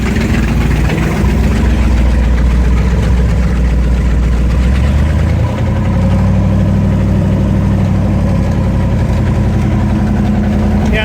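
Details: 1969 Corvette 427 four-speed on Brodix aluminum heads at idle on its first start-up, 30 minutes in, oil pressure near 70: deep, lumpy, uneven chuff. A bolt head kept the driver-side exhaust manifold from seating; leak heat melted three plug wires, so not all cylinders fired.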